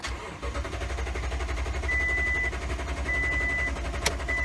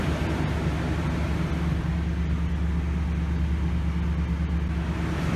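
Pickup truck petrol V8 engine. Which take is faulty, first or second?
first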